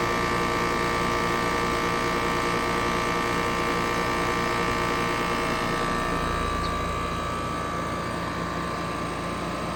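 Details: Trane 5-ton heat pump 4TWR4060G1000A installed June 2020, outdoor unit: loud steady rotor-like drone with a pulsing beat, audible inside the house and louder than the old unit; installer says normal.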